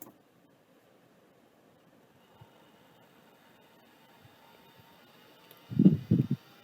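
Faint steady spindle whine in a quiet room, then a quick burst of head-seek chatter near the end; drive spins and seeks normally.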